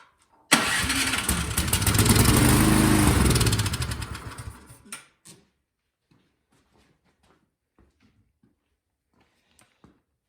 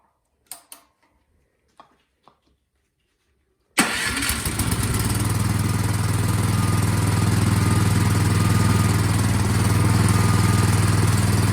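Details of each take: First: Craftsman snowblower that won't start, spark confirmed: fires immediately on starting fluid sprayed into the carburetor intake, revs about four seconds, then dies; suspected clogged carburetor jets from stale gas, needing the carb removed and cleaned. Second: Craftsman snowblower single-cylinder after carburettor cleaning, primed, half choke: catches after a few pulls and settles into a steady, even beat of about four pulses a second, running smoothly.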